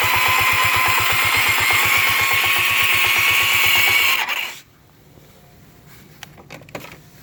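Sharp, very regular ticking about three per second over a high whine for four seconds, then it shuts off; source unclear.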